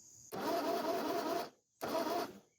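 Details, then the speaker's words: 1949 Ford 8N flathead tractor, after a new key switch and rewiring of the original starter button: two bursts of even cranking with no catch, compression about 70-100. Crank no start with no spark; dirty points suspected, fault traced to the distributor. "Not seeing any spark. Do have the key on. Probably just dirty points."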